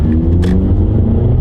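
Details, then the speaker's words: 12-year-old Mazda 3 with 2.0 L Skyactiv four-cylinder engine, 200,000 miles, under hard acceleration: deep, smooth, steady rumble with strong healthy pull, no knocks or rattles; engine normal. "Now, this isn't a tiny four-cylinder engine. It's 2 L. Uh, we'll see if it's got any zoom zoom left. We'll give it some zoom zoom."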